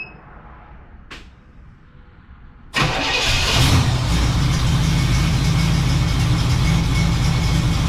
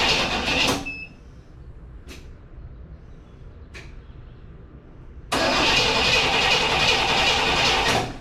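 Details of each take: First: 1967 Cadillac Coupe DeVille V8, first start after sitting about a year, jump-started after several tries; catches at once and settles into a strong, steady, even idle with no tapping or misfires, sounding as it should. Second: 1967 Cadillac Coupe DeVille stored about a year, cranked with a jump pack: repeated bursts of steady starter cranking with quiet gaps and no catch, as fuel has not yet reached the carburetor.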